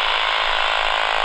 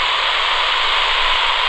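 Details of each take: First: AM radio held near a Flymo 1200R robot mower boundary cable close to the base station: fast, even buzzing pulses come through strongly; cable carries a normal signal here while a break elsewhere is being traced. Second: Flymo 1200R robot lawnmower boundary wire cut by contractors, traced with a cheap AM radio: flat steady static with no buzz past the break, signal returning nearby; wire disrupted around this spot.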